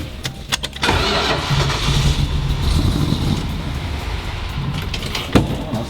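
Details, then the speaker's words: 1970 Dodge Challenger T/A 340 V8 after nine years in storage, with fresh oil and raw fuel poured into the carb with the choke propped open: cranks, fires briefly, then sputters out, so ignition works. "I guess the ignition is working... that's good, let's get the screwdriver right here.."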